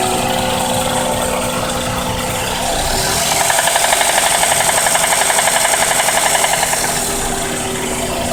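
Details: 1992 Toyota Camry 4-cylinder that cut off on the freeway while low on oil: a steady fast knock of about four beats per second rises from the engine, even after oil and treatment were added. Cause unconfirmed.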